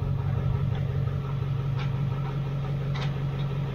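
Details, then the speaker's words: 28-year-old OBS Ford F350 manual after clutch slave cylinder replacement, shifting through gears with engine running: steady low hum, soft clicks as gears engage, no grinding; clutch pedal firmer, releases cleanly, shifts smooth. "I can already tell the clutch pedals way better I mean this feels feels way better look at that no grinding"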